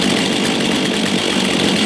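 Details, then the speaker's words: Brand-new, never-run Stihl MS 462 C-M/MS 661 C-M at first start of break-in: 10 minutes of straight idle on 50:1 mix, carb unadjusted, slower to start than the owner's Echo. Steady, even buzzy two-stroke idle without stumbling or surging; normal. "I'm going to fire this thing up, see what she sounds like. I echo would have started faster. So people weren't kidding. I would not suggest running the saw without ear protection."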